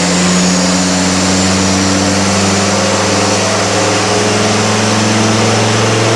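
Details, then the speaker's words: Defender Td5 110 with an aftermarket CR VNT Race spec turbo (250hp / 2 bar rated), being retuned: loud engine roar under load whose tone wavers as the turbo surges with rising boost, making less power. "the more we lean on it with Boost it's not happy it's surging and making less power"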